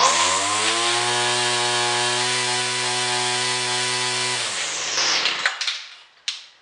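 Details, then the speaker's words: Older 2-stroke XT200 weed whacker after carburetor, rewind and air filter housing repairs: crisp, steady high buzz at even pitch for four seconds, then clean shutdown; running properly though initial hesitation remained. "Now, it being not a new machine, it runs pretty good. It's a 200, the XT200, whatever that means."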